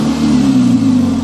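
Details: Ford MK1 with a Focus engine swapped in: held at raised revs with a steady droning hum and an extra tone riding over it; abnormal noise heard, cause not pinned down.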